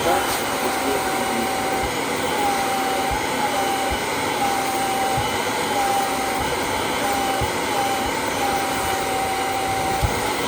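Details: Kirby G5 vacuum cleaner test run after replacing the fan impeller: steady, even rushing whir with a faint constant tone, no rattle or scraping; motor and fan healthy.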